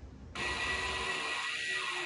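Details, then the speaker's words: Tesla electronic parking brake (made by Brembo), bench-powered on the two outer harness pins; its gear-driven piston moves with a sharp, steady high-pitched gear-motor buzz. Motor running normally. "so the piston in this electronic parking brake is driven by a series of Gears that allows for a pretty impressive clamping Force"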